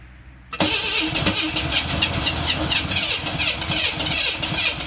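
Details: 1991 Camaro cranks at a steady rhythm for several seconds but never fires. The fuel pump runs, compression was checked and timing seems fine; the owner suspects a corroded distributor ignition module. Crank, no start.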